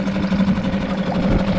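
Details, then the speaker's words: Suzuki DF5A 4-stroke outboard (2017 onward) after a full service, pull-started with choke set partway: steady, even idle with light mechanical chatter, no misses, good cooling water flow, engine healthy. "and there we go very light engine pull put good water coming out coolant didn't need any on the on the lines that we've taken off it's all looking really good"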